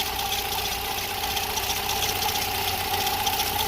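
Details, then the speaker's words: VW EA111 engine (Fox/SpaceFox) idling with a constant mid-pitched whirring and faint quick ticking from the timing belt end, with water and oil leaks; owner suspects water pump bearing, tested with spray. "Ah que pena que eu andei analisando aqui parece que ela vem dali ó da bomba d'água lá naquele rolamento ali embaixo"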